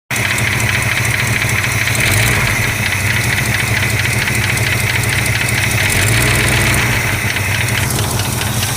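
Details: 1965 Chrysler 413 V8 idling warm: a light, quick, slightly uneven tick rides over the steady rumble. Owner suspects lifter tick; cause unconfirmed.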